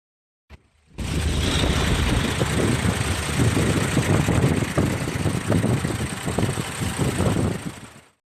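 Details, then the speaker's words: Hino Victor 260 hp ten-wheel dry-box truck, 2019 (B.E. 2562) diesel: deep, even chug at idle, steady with no knocks or misfires; engine described as very good, healthy. "เครื่องดีมากๆนะครับ"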